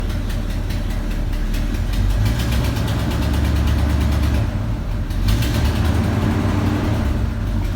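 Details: Chevy 350 V8 at idle: steady rapid light ticking over a low even idle, keeping pace with engine speed; top-end tick, cause unknown.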